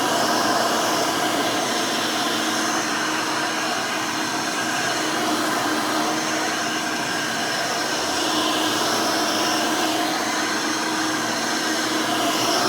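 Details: Rebuilt Hoover Elite 600 upright vacuum, built from parts of several Elites, with a new 7 amp, 20-blade-fan motor in place of the original 6 amp: a steady, even high whir with a constant airy rush and no rattles, scrapes or wavering. Runs smooth and fairly quiet.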